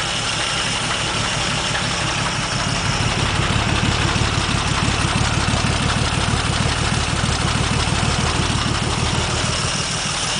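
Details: 1947 Dodge flathead, bought in pieces and reassembled before a rebuild: idles smoothly, but just above idle a dull loose knock at about three per second; suspected rod knock, to be disassembled.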